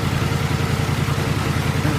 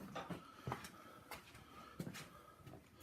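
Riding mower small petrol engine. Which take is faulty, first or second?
first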